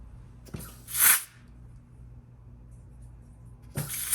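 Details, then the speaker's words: GM 4L60E transmission rebuild, air check of forward clutch feed hole: sharp air hiss, firm clunk as piston applies, then quiet without leak-down. Normal clutch apply on air check. "everything sounds good there"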